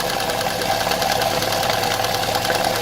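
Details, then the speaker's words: Opel Vectra A engine idling after blowing out the camshaft oil feed: light, quick, even valve ticking over steady idle hum; the worn eighth cam lobe opens its valve too little because the camshaft is worn. "Да видно что вот этот кулачок он недостаточно сильно открывается из-за того что уже Элементарно распредвал изношенный да"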